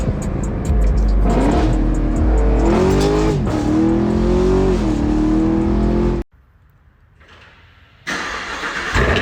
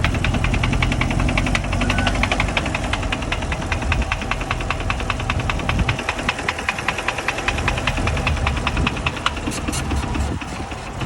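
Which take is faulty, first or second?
second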